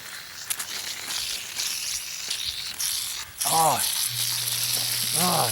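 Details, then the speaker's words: Backyard drip irrigation system under water pressure: a steady, high, airy hiss that was first thought to be a pipe leak, but one dripper is spraying water out far faster than it should. "that it's the it's the dripper it's the dripper here I thought it was a leak see it's shoot it's shooting out like faster than it should be look at that"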